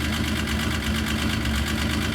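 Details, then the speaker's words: Yamaha RS Viking snowmobile after a carburetor clean: a steady, even idle with a smooth, unbroken beat and no misses or surging, cured of its earlier rough running. "Perfect. That's what it should sound like. None of this when you fire it up. You know, after a summer, should it be running rough? It should sound just like that."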